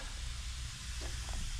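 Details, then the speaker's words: 23-foot Birchaven motorhome engine running after 12 years: steady hissing sizzle over low rumble as fluid cooks off the exhaust crossover beside the carburetor; owner suspects a coolant leak, possibly near the thermostat housing, source uncertain. "Okay, well, you can see that crossover has the exhaust going through it right by the carburetor, and that's cooking off pretty good."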